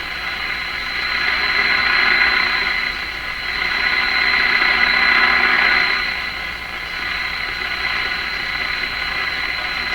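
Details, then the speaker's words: Hallicrafters S-38D communications receiver sharing an antenna with an SDR; it radiates strongly from its antenna connection: a fast ratcheting chatter, about four per second, over a high steady tone and hiss on AM reception. "that's a funny sounds never ever hear any of that kind of stuff on an AM radio"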